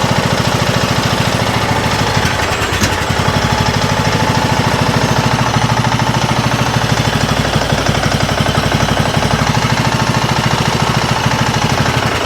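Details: Neglected Craftsman riding mower, original engine running with choke worked by hand and smoking: uneven, hard-pulsing idle with a rapid bottom-end knock through every firing; troubleshooting pointed to a bad head gasket or damaged piston rings, not confirmed.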